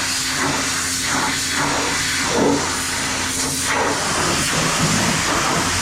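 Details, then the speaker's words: Sprayer fed from a water hydrant, after air in the line from the hydrant being shut off: continuous even spray hiss with faint steady pump tone, no sputtering once the air cleared. "Do you guys hear it starting for water other than when I first started it? Nope. Not at all."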